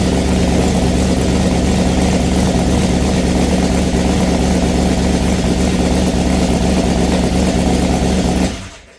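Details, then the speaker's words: Ford Falcon XB hardtop under restoration, first start after rewiring, no oil pressure gauge connected: starter and running sound fine, but a loud rough engine carries an uneven knock about three beats a second; knocking noise when running, source unclear. "She sounds the starter motor sounds good and it sounds good running, but there's something going on with the motor. It's like a knocking sound or something."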